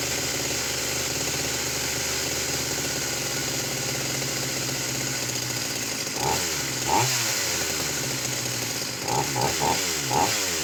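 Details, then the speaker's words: Vintage Husqvarna 44 chainsaw, formerly seized, freshly un-seized, carb low/high needles being adjusted. High buzzy note with uneven stumbles and blips, won't hold idle; touching high needle floods it, cuts out and backfires off throttle. Cause unconfirmed. "The minute I take my finger off, it will cut out and it will start to backfill."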